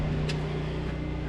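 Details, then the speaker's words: Kenworth W900A diesel during restoration, briefly run without coolant: short burst running steady and even through open stacks, no knocks or misses; a fuel leak was later found at pinholed fuel crossover tubes. Normal diesel running. "Yes. Well, it runs again. That sound really good."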